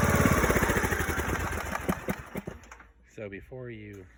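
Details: Craftsman DLS 3500 limited-edition riding mower single engine after $20 carburetor kit (new fuel filter, gas line, plug, oil filter, gaskets), previously surging at start; now runs with even steady beat, about four pulses a second, no misses; normal running.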